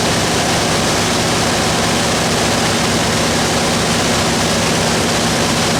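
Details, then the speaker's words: Vehicle with new gas tanks and newly fitted Cherry Bomb turbo mufflers, started after sitting a while: catches and settles into a steady, throaty idle with a deep exhaust rumble; normal idle. "so let's go ahead and start it up so you can hear the mufflers yeah it's been a couple of weeks since it's been started well maybe not that long it should start right on up"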